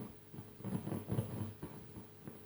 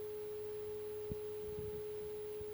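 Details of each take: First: NAD 300 amplifier at high volume. Irregular faint crackles and scratchy bursts come through as the front potentiometer is turned, a scratchy pot to be treated with contact cleaner. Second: NAD Model 300 built around 1975 to 1979, during amplifier alignment: a clean, steady 400 Hz test tone with no hum or crackle while setting the signal level. Left and right are both about right, left slightly too high, and left as is.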